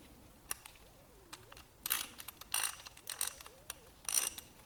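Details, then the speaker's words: Socket ratchet wrench after disassembly, cleaning and greasing (previously had almost no grease): light even pawl clicking, no grinding, less drag; measured 77.5, much quieter than before. "right 77.5 a lot less than it did before so what do you guys think sounds great feels fantastic"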